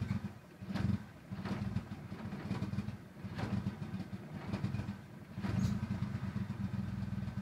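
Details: 1995 Talon TSI with a rough, hunting idle that swells and sags every second or two, never settling to an even beat; cause not identified.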